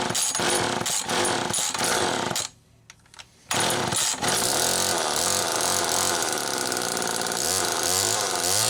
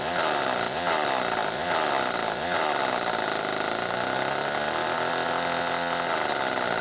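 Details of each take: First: Homelite XL-2 chainsaw after clutch and carburetor repair: two-stroke snarls at high revs, bogs as it bites into wood, then holds a steady high cutting pitch; runs and pulls under cutting load. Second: Homelite XL-2 two-stroke chainsaw running after earlier repair, oiler working: revving hard with wavering pitch swoops, chain slow to pick up; clutch slow to engage, owner suspects debris or oil inside, glazed clutch drum slipping before grabbing.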